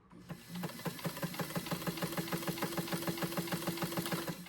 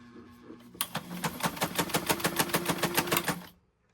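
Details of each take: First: White 1563 sewing machine partway through cleaning and oiling; quick even ticking about three per second with steady whir, knocking much reduced; normal running. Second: White model 1563 sewing machine, long stored in a garage, before cleaning and oiling: sharp regular clacking about three times a second while running, louder than it should be; knocking of unknown cause, may need a major overhaul.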